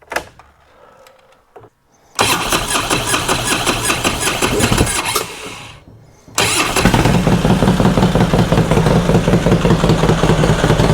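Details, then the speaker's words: 2005 Harley Road Glide V-twin after top-end and rocker box teardown to fix a tick: loping idle with only a faint light tick, told it's the Woods cam; considerable improvement over before. "There's still a little bit of a tick, but not like it was. Uh I was told that's the cam shaft, the woods cams in these. uh they just make a little bit of noise, but man, it's a considerable improvement from what it was before."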